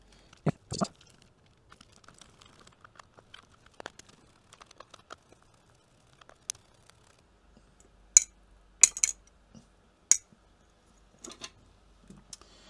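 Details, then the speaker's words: Sega Mega Drive/Genesis II game pad whose up, down and A buttons don't work, shaken by hand: sparse, irregular light plastic clicks from a small broken plastic piece loose inside the shell; pads show oxidation, liquid ingress suspected. "I thought there was some something rattling around in here aha what's that little piece of broken plastic"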